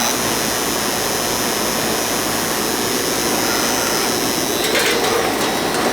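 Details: Goodman AC condenser running after its bad, puffy capacitor was replaced: a steady, even roar of fan and compressor with no hum, rattle or stalling. It runs normally and cools, with the lines sweating.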